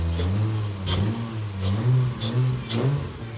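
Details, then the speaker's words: Nissan 240sx S13 with a swapped twin-turbo 1JZ six from a Toyota Soarer, first start after priming the fuel pump: revs up and settles in short bursts, low exhaust note smooth and even, no knocks or ticks; healthy running. "Oh, it starts! God, I'm so excited. All the lights work and everything. Everything works. First try. Sounds good too."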